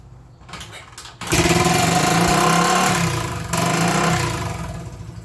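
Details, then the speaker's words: 1980 Honda XL250S, unused for six to eight months, started on starter fluid: a loud high-speed roar that sags and surges with no settled idle, held back with the kill switch. Engine over-revving at start; cause not confirmed. "you probably saw me playing with the engine on and off switch just to keep it from over revving and killing itself having not run for six seven eight months but starter fluid seemed to do the trick"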